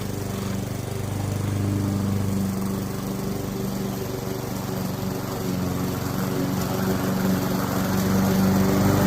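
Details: Curbside-found Weed Eater walk-behind mower, flywheel key previously broken by a blade impact, with a steady single-cylinder putter, regular beat about four per second, holding even speed under cutting load; normal running, carb tidy, rinse and oil change planned.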